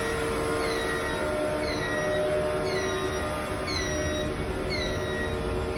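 Steady hum with a falling squeak that repeats about once a second; an abnormal mechanical noise, cause not yet known.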